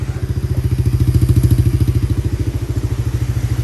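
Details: Kawasaki Mojave 110 single-cylinder with fresh gas, new fuel lines and filter, original plug, and overfilled oil blowing out the vent hose. It was just started and needs a little throttle, disliking choke. Even, steady putter about three beats a second, no misses: runs normally.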